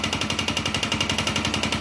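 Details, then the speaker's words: Motorcycle engine running, heard through a hose used as a stethoscope: a sharp, regular knock about twelve a second, loudest at the cylinder; the owner suspects worn or damaged connecting-rod/crank internals, not confirmed. "y esta aquí se Oy el golpeteo aquí cilindro cilindro y"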